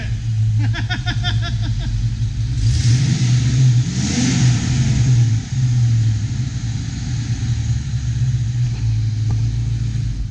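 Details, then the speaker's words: 1992 Ford Mustang GT V8 after cold air intake and bigger throttle body, idle settled near 600–750 rpm: deep rumble climbing cleanly with throttle blips and settling smoothly, exhaust clear and even; sounds healthy. "Still sounds healthy as hell. It does sound healthy."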